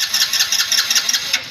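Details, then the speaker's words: Hero Splendor 2024 BS7 E20, fuel pump confirmed working: fast steady starter whirring with quick cranking pulses that never fires; cranks but won't start, spark and injector checks to follow. "उपार्जन, वह है, bike शुरू करना जाना चाहिए लेकिन bike शुरू करना नहीं।"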